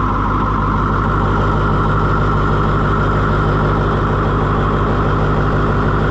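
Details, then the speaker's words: Tractor diesel idling after repeated leaky cooler repair with a slight tweak: steady deep low thrum at constant level, nothing knocking; some vibration noted, another brace considered; idling normally. "It does have some vibration. I may make another brace, either from up here down or from one of these other holes to the second hole"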